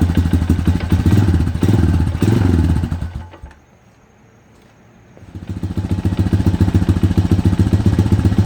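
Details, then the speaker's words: Project 250EX ATV that sat 10 years, running after a tune-up at fast idle. Single-cylinder thumping with an uneven light knock on each beat; a crank bearing was first feared, but a stethoscope places it at the clutch: clutch knock. "but the engines making a knocking noise and I was concerned originally I thought it was a crank bearing"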